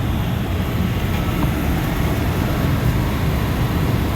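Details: Cambridge direct-fired makeup air unit running normally at the 160 setting with burner fired: steady, deep, even rumble of airflow and burner roar, after a misadjusted damper actuator thought to have caused an airflow lockout was corrected.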